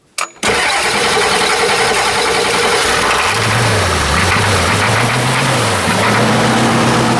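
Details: 1990 Ford F-Superduty with naturally aspirated 7.3 IDI diesel and old failing injection pump. Short crank, then catches on starting fluid and settles into a rough, uneven, weak diesel idle; hard start, white smoke and rough running as signs.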